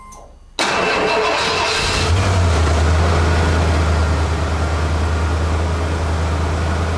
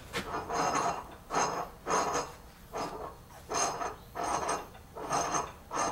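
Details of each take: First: 1991 Ford F-250 5.8L 4x4, off the road two years, with a reportedly stuck Borg Warner 1356 transfer case (engine had idled at 1,500–2,000 rpm): fires and settles to steady even hum, drives off with no grinding or clunking; transfer case works. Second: 1991 Ford F-250 5.8 L 4x4, Borg Warner 1356 transfer case reported stuck, was in four low: slow rhythmic dry scraping swells as shaft is turned by hand, something dragging inside; shards found near planetary gear pin.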